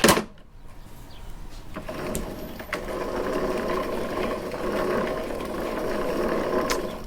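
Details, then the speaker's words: Toro Recycler mower with no self-propel, wheel back on and hand-spun to check the drive gears: smooth, quiet whirring with no grinding or clicking; this side's drive wheel turns freely and sounds fine. "that sounds pretty good to me so let's try that to the other side"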